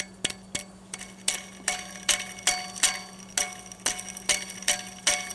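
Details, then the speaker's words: Chevy Silverado serpentine belt tensioner pulley, removed and spun by hand: sharp crackly ticks about twice a second with a gritty rasp, a rough worn bearing; idler's thrust washers also rattled. Both pulleys replaced. "the idler actually wasn't as bad as the tensioner so this has a set of thrust washers on it so those are what's rattling"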